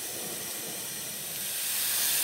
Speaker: zzing sound and you can see uh can hear the ammonia there's an ammonia leak in there so turned off all the gas and electricity and hoping it uh cools down and doesn't uh catch on fire or anything